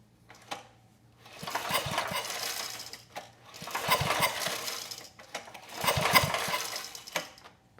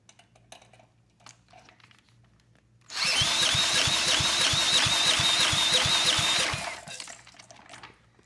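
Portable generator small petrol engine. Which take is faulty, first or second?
first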